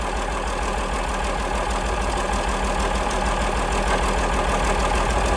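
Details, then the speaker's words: 1947 Cletrac FDE diesel crawler first start after sitting many years, injection pump freed, fresh fuel: slow even diesel clatter at steady idle, no misses; runs well but has water leak and missing fan belt. "There she is, folks. Running like a charm."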